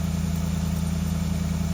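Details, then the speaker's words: 2014 Ford F-150 V8 during intermediate steering shaft replacement for stiff steering: even, steady low rumble with regular beat, no misses or knocks; normal idle. "sounds like V8 boys"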